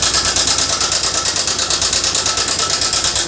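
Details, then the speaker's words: TVS Sport motorcycle idling: loud fast metallic rattle about three clatters a second over idle; worn timing chain with damaged adjuster/tensioner, the adjuster to be replaced. "तो दोस्तों बहुत ज्यादा sound है इसके अंदर कहे का आवाज है ये हमारा टाइमिंग चैन का इशू है टाइमिंग चैन का आवाज है दोस्तों"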